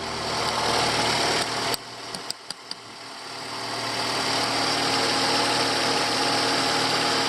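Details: Ford Escape 2008-2012 2.5 XLT, second generation, at steady idle with a few light clicks and a short dip; no squeal or grinding from the belt, tensioner or grooved idler pulley, which were the subject of replacement.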